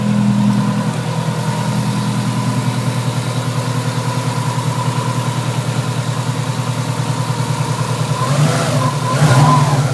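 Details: Subaru SOHC EJ257 hybrid rebuild (low-mileage STi block, new pistons) at idle, first run after a custom stainless up-pipe install, no upstream O2 sensor so running rich: steady low burble, regular pulse, no piston slap or knock; healthy.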